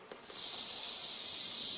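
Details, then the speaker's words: Refitted towel rail radiator after central heating is switched on: sharp, steady high hiss of trapped air venting from the opened bleed valve as water rises up through the radiator; no leaks found. "and you'll hear the air coming out now as the water starts to come up through the radiator."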